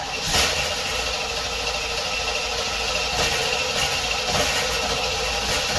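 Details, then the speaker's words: 1976 Corvette Stingray unstarted 8 to 10 years, after new fuel lines, fuel filter, 20 litres fresh fuel, fresh oil and filter: engine spins steadily on the starter with no firing pulses at all; cranks but will not start. "So, why don't we crank this thing over and see if we can get it start for the first time in 8 to 10 years. Let's see what happens. Here we go, fingers crossed. And nothing."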